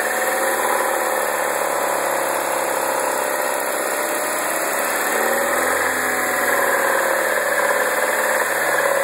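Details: 2009 MINI Cooper non-S petrol engine idling and blipped, busy metallic rattle carrying through the revs; source not identified.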